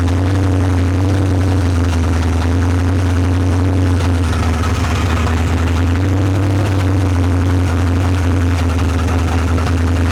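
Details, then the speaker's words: Old Monte Carlo hot rod engine after cylinder head replacement, used Holley carburetor fitted: loud, deep, steady V8 rumble through open headers, even firing, no misses or knocks, water pump not yet hooked up; running good. "Damn! She running good. That sounds really good."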